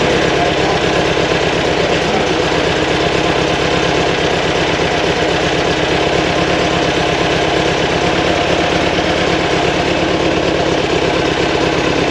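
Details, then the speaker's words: Fresh 2180cc VW air-cooled flat-four for a 1968 single cab, break-in run after timing was set; steady, evenly firing raised idle around 1200 rpm, set a bit high for easier driving. "so high on the Isle here right 12 Hunter is that what you like I a little high makes it easier driving"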